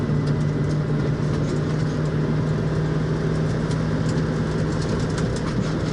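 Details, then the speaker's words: 1966 Mustang on a speed-bump road, testing for bump steer after reworking the TCP upper control arms with galled rod ends. Steady road rumble and engine drone with no knocks or clunks; the front suspension sounds tight. "yeah it's pretty good notice it's not clunking"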